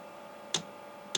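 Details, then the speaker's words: Newly installed 8 kW Chinese diesel heater on 11.2 V, first start: sharp single ticks about every 0.6 seconds over a faint hum as the dosing pump clicks while priming, drawing fuel up the line; pump has power and works. "okay i hear it clicking now this may take a minute a long minute to pull that fuel up but hey we know it's getting power we know it's working"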